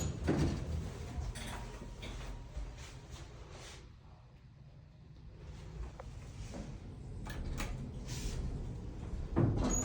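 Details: Dover elevator at a shopping center in Pineville, NC: repeated dull knocks and thumps over a low motor hum while running; cause unknown.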